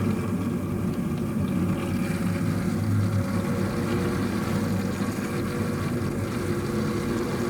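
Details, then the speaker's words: Ravenheat 85CSI boiler after leak sealer added: steady low rushing hum with a rough, uneven churn as trapped air is bled from the heating circuit; airlock, cleared after a few minutes of bleeding. "I've got a bit of an airlock here, so we've been trying to get it out and showing you what I'm going to do again. I'm going to undo this. Let's do that a couple of times. You can hear it changing. You can hear the air going."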